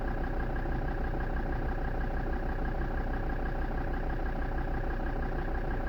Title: defender td5 rough idle